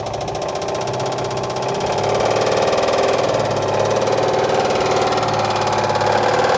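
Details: 1959 Oldsmobile 98 coupe from Arizona, early start, smoke from spilled power steering fluid on manifold: rough idle with sharp regular knock about four per second, sounds very dry; engine knock, cause not confirmed.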